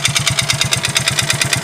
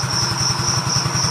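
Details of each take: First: Yamaha Mio GT Fi scooter engine that once ran so low on oil only a quarter of a small drinking glass remained: a hard, rapid metallic clatter on every idle beat, about three knocks a second; a rough bottom-end knock from oil starvation. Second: Yamaha Mio GT FI scooter after engine repair, worn CVT parts (boss roller) still pending: even steady thump about five beats a second with constant whirr, no knocks or misses; engine now idles smoothly.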